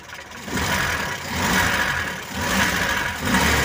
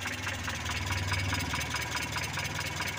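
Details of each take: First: Mitsubishi Colt T120 petrol engine, idling and blipped about once a second after the distributor was turned to the right timing position: revs rise and fall cleanly with no popping, misfire or pinging. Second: Mitsubishi Colt T120 petrol engine idling, used to haul sand and farm produce; distributor turned right, timing advanced: more power but a slightly uneven, rough-sounding idle with a slight lope, no pinging.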